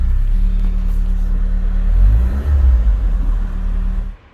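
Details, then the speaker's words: Car started on battery with no fuel filler neck: deep rough rumble runs about four seconds then abruptly dies; engine sounds good, owner suspects fuel issue—empty tank or no fuel pump. "engine sounds nice as well so it's obviously some sort of fueling issue i suspect that uh either there's no petrol in the tank after all or there's no fuel pump"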